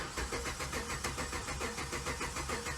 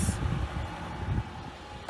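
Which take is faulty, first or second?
first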